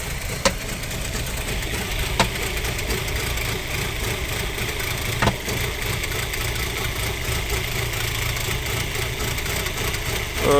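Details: Audi A4 B6, 2.0 ALT petrol engine, cold start: as revs drop to low idle, sharp irregular knocks every couple of seconds over the hum and the engine jerks; owner suspects the camshaft phaser, unconfirmed; engine knocking at cold idle.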